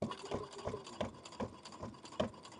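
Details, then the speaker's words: Brother Innovis A150 sewing machine with a brand-new needle at 4.5 stitch length through many layers of thick fleece: regular hollow clunk about three times a second, needle jolting slightly, but fabric goes through; clunking when sewing thick fabric. "It's taking it. It's definitely clunking."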